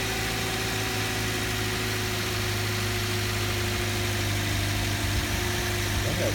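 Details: 2008 Toyota Yaris at idle after starting, check engine light on for over a month: steady low hum with faint whirring on top; odd noise, serpentine belt suspected, unconfirmed.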